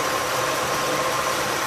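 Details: 1985 Oldsmobile Custom Cruiser 5.0 V8 after removing the shared power steering belt and keeping only the alternator belt to stop the squeal: steady idle with a soft hiss and no belt squeal or chirp.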